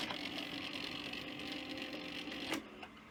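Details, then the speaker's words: 1984 Sanyo VTC-M40 Beta Hi-Fi Betamax loading a cassette: uneven whirring and scraping like sliding reels or a struggling idler, sharp clack near the end, suggesting a noisy reel drive motor. "Well, it's making some interesting noises. Sounds almost like sliding reels or something, like an idler's struggling."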